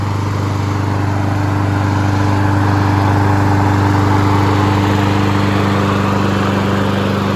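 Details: Honda HRN216VKA lawn mower running outside on TruFuel while being run dry for winterizing; even, fast steady drone at constant speed with no misses, knocks or rattles; engine running smoothly and healthy.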